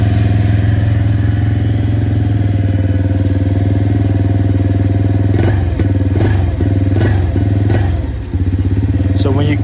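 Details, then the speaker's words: 2017 Suzuki QuadSport Z90 90cc four-stroke ATV, running rich and fouling its plug: uneven idle, then pops and bangs like hitting a limiter and dies under harder throttle. "it just ends up dying that's all it does kind of pops and bangs like it's off the limiter or something like that and then if you rev it even harder it just dies"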